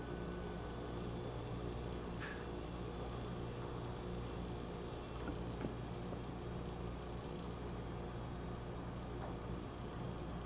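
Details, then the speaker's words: Salvaged sealed fridge compressor after oil drain, flush and refill, suction capped, run on a vacuum gauge set: steady even low mains-pitch hum with no knocks or rattles, pulling down to full vacuum, so valves and mechanism are judged good. "Which that looks to me like what a good compressor should look like. It's right there down to the minimum on the vacuum scale."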